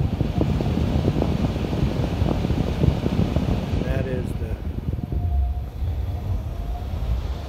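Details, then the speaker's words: New universal ECM replacement blower motor in an ICP air handler, replacing a failed X-13 motor on a 10–11-year-old unit; red and green leads touched to start self-test. Steady hum then falling whir as it stops to reverse: normal direction self-test. "I'm just going to touch those two together while we watch the motor test its direction and it'll test for resistance I guess and it'll figure out which way is which"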